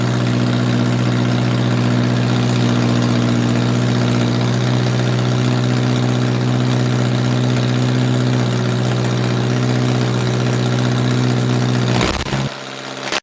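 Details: 1978 MG with 1.6L Miata engine in a cold garage, after idle air control valve delete to fix a vacuum leak. Smooth, steady idle a little high while cold, even firing, no misses or knocks; healthy.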